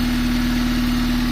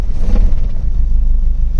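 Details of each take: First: 1997 Honda Civic D16Y7 SOHC non-VTEC after replacing rod bearings for a rod knock apparently from very low oil: steady, even idle with a smooth low pulse and no knocking tap. Normal idle; the knock returned after a week of driving. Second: 1997 Honda Civic hatchback, D16Y7 SOHC non-VTEC, first start after new rod bearings for a rod knock apparently from very low oil: deep, heavy rumble catches and runs a few seconds, then the engine stalls.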